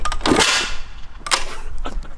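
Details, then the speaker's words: 2004 Suzuki RM125 two-stroke, carb cleaned, spark confirmed, fuel on, kick-starting: sharp cracking pops from the exhaust with no running between them; backfire on a no-start, owner suspects it needs a rebuild. "what was that what was it oh well that was from the exhaust yeah it was"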